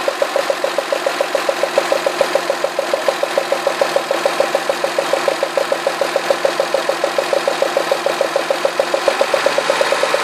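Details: Citroën Xantia V6 at idle: sharp, even ticking about three or four times a second that sounds like lifters or a bearing, caused by spark arcing at cylinder 1's plug. Its plug well was flooded with oil spilled at the last oil change, and cleaning it out stopped the noise.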